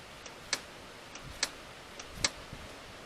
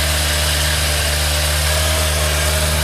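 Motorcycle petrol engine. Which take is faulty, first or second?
first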